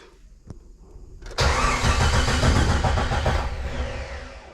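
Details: 1998 Jeep Wrangler after engine install: long cranking, catches and runs unevenly, labouring then sagging, no oil pressure yet; rough running traced to a faulty crankshaft position sensor.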